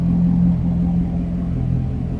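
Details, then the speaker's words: 2009 Chevrolet Corvette convertible, LS3 V8, recorded at the rear: deep, steady, throaty exhaust rumble at idle, even, no misses or ticks; healthy V8. "Slip around to the back here. Again, nice deep throaty exhaust"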